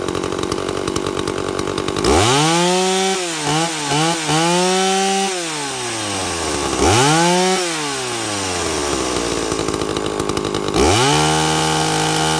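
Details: 2-stroke chainsaw with an impulse diaphragm carburettor, tuned by ear with the high jet set slightly rich. Revs climb, settle into a clean steady pull while cutting wood, then rise again when free. Mixture sounds right under load.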